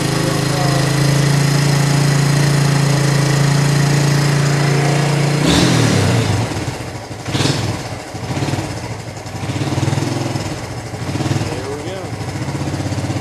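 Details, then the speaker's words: 1983 Kawasaki KLT250 three-wheeler, started on a little choke after sitting since last fall, carburetor cleaned and spark plug changed; steady single-cylinder idle with a few easy throttle swells that settle back cleanly. Normal start and idle. "there we go there we go looks like we got the the three wheeler all sorted out nice little 1983 kawasaki klt250"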